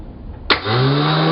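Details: Bench demo: 12 V battery wired to a starter motor; positive voltage on the solenoid S terminal gives a sharp solenoid click as the cog moves forward, then the motor winds up into a steady even hum, a healthy starter spinning freely.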